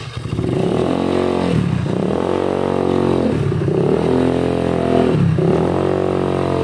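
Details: Honda Beat carburetor scooter after fixing rattling CVT noise on throttle opening by refitting CVT cover support boss: repeated smooth rev surges, pitch rising and falling cleanly, no rattle or chatter from belt drive; CVT healthy.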